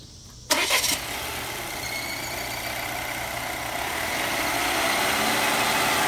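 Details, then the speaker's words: Volvo XC60 T5 2.0L, engine started and at fast idle: faint steady high-pitched hum caused by a deteriorated diaphragm in the PCV oil trap on the valve cover; removing the oil cap stops it. "Now you can hear the noise coming from this right here. Pull this valve cut, this oil cap off, and it goes away. That tells you for sure that that's what's causing the problem."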